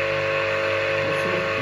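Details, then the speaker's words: Old Soviet electric motor, refurbished with freshly greased bearings and run on a capacitor in delta connection: a steady harsh hum with a strong mid-pitched drone, noisier than in star connection. "Слушайте звук двигателя. Вот это работа на треугольнике."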